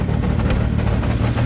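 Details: Supra, first startup after rewiring, clutch fork rattle also present: petrol engine idling with a deep, uneven rumble that lurches slightly instead of running smooth; rough idle.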